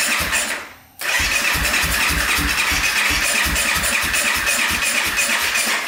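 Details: 2014 Honda CRF250L that won't start, after top-end valve work, running without air filter: rapid, even starter cranking with buzzy rhythm that never fires; cranks but won't start.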